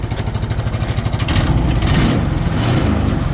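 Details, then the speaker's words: Barn-find off-road buggy with centrifugal clutch, not run for a while: engine pulsing about three beats a second, then revs rise and fall freely without misfire; nice sound, runs well and moves. "It does move. It's got a nice sound to it, actually. Runs well."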